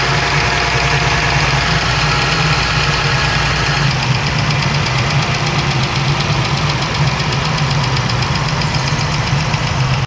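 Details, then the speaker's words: Dodge Ram 3.6L at idle with fast even ticking on top of the engine note; suspected bad roller follower in the valvetrain, common on 3.6 engines; roller follower tick. "then chances are you have a bad roller follower. And uh very common in these 3.6 engines, uh their little rollers uh get boogered up and then it starts ticking or tapping."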